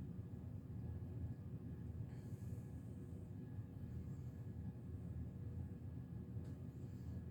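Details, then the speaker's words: 52" Hunter Original ceiling fan, c. 1986, original steep blade pitch, motor needing oil: a low, even whoosh with no ticking, scraping or wobble. It runs smoothly and the bearings seem okay. "does have a steep blade pitch that's original so nothing's changed with that runs pretty well so far"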